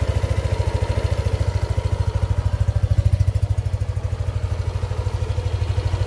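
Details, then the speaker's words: Yamaha Aerox 155 scooter after 2 years, regularly serviced, no error codes: even single-cylinder putter about three and a half beats per second, steady, no knocking or rattle; owner says it sounds same as when new; normal idle. "Oke jadi suara mesinnya itu sama seperti saya pertama kali beli"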